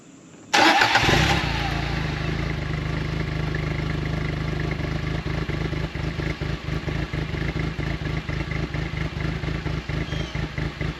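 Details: 2016 John Deere Gator 825i UTV at idle, fuel pressure about 50 psi (owner thinks weak), dropping at key-off: idle stumbles with uneven beat drops several times a second, a miss; owner suspects the fuel pressure regulator, smooths out cruising around 30 mph.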